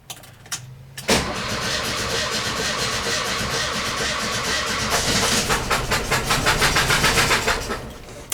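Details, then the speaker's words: VW bus engine cranking after valve adjustment with one spark plug left out: lopsided, hitching cranking rhythm, one beat lighter each turn, as that cylinder has no compression; uneven cranking from the missing plug. "it would help if I put the spark plug back in knew it was cranking a little funny all right I'll show my bloopers too sometimes you just get in a hurry you know wonder why I was cranking funny I'm like what doesn't have compression on one of the cylinders"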